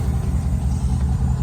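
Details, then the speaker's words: Idle on a 2007-2013 Chevy Silverado V8 after replacing the water pump, gaskets, thermostat, hoses and coolant reservoir, AFM/DOD turned off: low, even burble with no misses or knocks, healthy; owner hears a very faint lifter tick. "water pumps running good got that new gas dude down there everything's running good"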